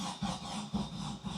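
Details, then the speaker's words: 1972 VW Bay Window bus engine being started after rebuild work, battery off on the bench for a month and uncharged: starter groans in slow laboured pulses about twice a second, never catching; slow cranking from flat battery. "She's very weak. Right, yeah, so my battery is obviously pretty flat because it's just been out on the bench for the last month."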